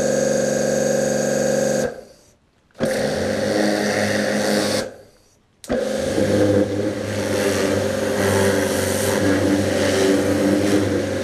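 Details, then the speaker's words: New Kärcher pressure washer on a farm, rated 91 dB: loud, steady motor-pump whir that stops twice and restarts cleanly, even and free of knocks; normal, healthy running. "C'est vrai que ça fait du bruit. Et là, il est mentionné dessus que il va faire 91 décibels, ce qui est pas mal."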